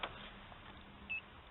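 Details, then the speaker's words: Inverter on a single Optima Blue Top battery charged by a 100 W solar panel, running a TV load; a single short high beep in a quiet room as the battery sags to about 11.1 volts. Inverter low-voltage alarm. "if I turn my TV on again it'll it'll dip under eleven C 11.1 so there you go you can hear it beeping now so let's turn this off"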